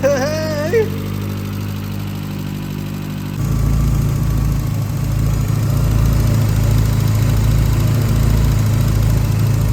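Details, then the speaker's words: 65k-mile VW Corrado G60 supercharged engine, first run: steady even low rumble firming into smooth rhythm; briefly tappy at first from a dry hydraulic tappet, then runs nicely without tapping. "Obviously got it running. It runs really nice. Obviously, it was a little bit tappy at first, one of the hydraulic tappets, because they're oil-filled tappets, I guess, to just run dry."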